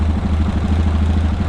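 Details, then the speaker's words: Yamaha Rhino 700 after performance engine rebuild with fresh parts, first warm-up reading about 126–130: smooth, even idle sitting slightly high; runs well, idle needs adjusting down and throttle cable readjusting. "We need to adjust our idle down and then readjust our cable. I think she's still just a touch high on the idle."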